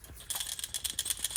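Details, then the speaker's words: Gritty, uneven rattling and clicking from a hand-spun, loose and wobbly wheel bearing removed from a 2012 Nissan Altima 2.5; all the bearings inside are shot, replaced due to grinding noise. "All the bearings inside are shot."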